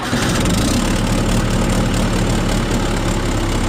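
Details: John Deere 450C dozer with right-side steering brake band not grabbing: deep, even diesel rumble at steady idle, no misses, knocks or hunting. Oil on the exhaust manifold may smoke; owner suspects a bad turbo bearing seal. Normal idle.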